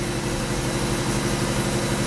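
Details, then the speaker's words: 1994 Alfa Romeo 33 Imola, 1.4L fuel-injected petrol (90 hp), 112,000 km, cold start after sitting. Idle is rough, shaky, lumpy and too high. Misfire from bad spark plug wires and a bad ignition coil. "so here we go can you hear it already the engine is kind of rough"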